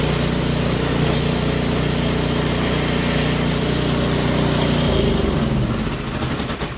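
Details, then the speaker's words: Toro Power Clear 721E electric-start snow blower before repair, customer says it won't start or stay running, fuel looks old and yellow: fast buzz with an uneven beat that runs rough at first, then the note drops and sags; carburetor to be inspected. "Well, it seemed to be running pretty crappy right at the beginning there, and then it just kind of dropped right out of it."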